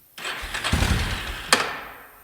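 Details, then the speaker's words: 1996 Yamaha Big Bear 2WD ATV after both bad relays were replaced and a poor positive connection on the relay side was fixed: a short starter crank, then it catches right away and settles toward idle, a clean, prompt start. "Sweet. Now just to go on to all the other issues this thing has. You know what they say? The third relay is the charm."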